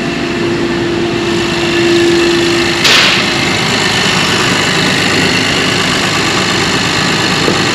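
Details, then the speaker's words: Acura/Honda J35 V6 on first start after crankshaft, main and rod bearing, thrust washer and oil pump replacement under the rod bearing recall; steady, even idle with smooth hiss, no knocking or ticking; a known exhaust leak, muffler and B-pipe pending; normal idle. "this car does have an exhaust leak we're installing a new muffler and B pipe on it if that's coming through that's what that noise is back here other than that the engine seems to be running okay"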